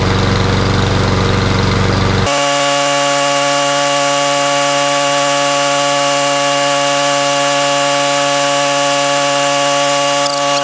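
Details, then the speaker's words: Toro Recycler mower, nearly new single-cylinder engine, previously hydrolocked with oil in the exhaust; after about 15 minutes burning off the oil, holds a steady even drone with no misfire or knock; normal running. "it's been running for about 15 minutes much better"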